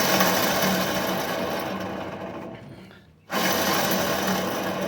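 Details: Rusty pickup truck's wheel hub spun by hand giving a rough continuous dry grinding rasp that fades and resumes, louder on the driver side while driving; worn wheel bearing, replaced with a new silent one.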